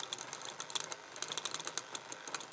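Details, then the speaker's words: AC220V 50Hz A60KTYZ 60RPM synchronous gear reducer motor (14W, 70mA) stalled by hand with about five pounds of grip: irregular light ticking and clicking with almost no hum, ratcheting; motor has too little torque. "this sort of distance here it's just i can quite easily stop that no problems no real problems there just gripping it okay so there's just not enough torque in this motor"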